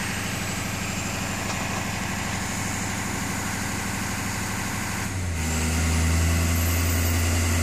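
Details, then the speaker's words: 2012 Ford 6.7 diesel during a Snap-on scan tool engine-running self-test: steady idle, brief turbo cough, then the computer lifts it to a higher, firmer idle with no pedal input; normal behavior. "Computer idles it up all by itself. Feet are nowhere near the pedals."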